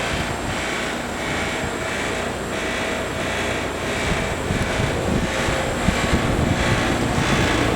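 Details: Trane XL15i outdoor AC condenser unit, installed fall 2013 with Trane XV80 furnace: steady fan whoosh with pulsing, uneven rattle three to four times a second; something loose rattling inside the unit.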